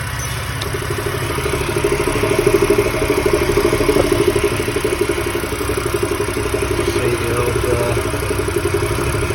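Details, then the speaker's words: BMW N52 with DISA fault codes 2AAC/2AAF (air mass fault initially blamed on the air mass meter), after replacing inner and outer DISA valves and the breather: even idle with a soft steady pulse, no hunting or misfire; stabilised idle. "But if it stabilises now, you're laughing. There you are, it's stabilised."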